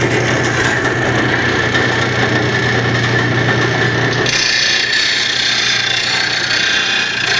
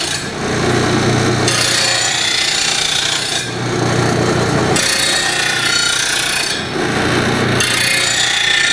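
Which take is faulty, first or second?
first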